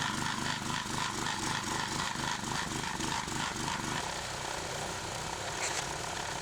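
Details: Clarke 20-ton log splitter after its original engine was replaced with a 5 hp engine, splitting bigger logs: a steady, even putter of about three and a half beats a second with no bogging. It is running healthy.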